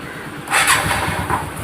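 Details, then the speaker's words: TVS NTorq 125 scooter after timing chain replacement and tensioner reset: quick start, then an even, steady idle with no tapping or chain clatter; the earlier engine noise from a loose timing chain is gone. "तो देख सकते हैं दोस्तों start हो चुका है गाड़ी। और यहाँ पर ये दोस्तों सीधा चल रहा है गाड़ी। ठीक है फ्रेंड्स, अब इसमें कोई साउंड वगैरह नहीं है।"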